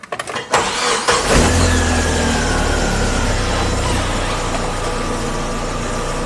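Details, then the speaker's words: Car after replacing a worn, narrowed, slack power steering pump belt with the tensioner at its limit: engine starts and settles into a steady, even idle, no squeal while the steering is turned; steering noise fixed. "好，一切正常。通过我们的检查和维修以后啊，这个方向现在已经恢复正常。"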